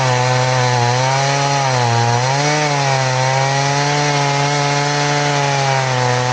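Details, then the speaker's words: Chainsaw with its chain filed to a 10-degree angle: a steady, loaded buzz that sags a little as it bites, cutting slowly like a dull saw. "Remember, we're 10 degrees, but it cuts real slow. So let's see if it'll do a cross cut. Throwing some okay sized chunks, but it's just, it cuts like a dull saw."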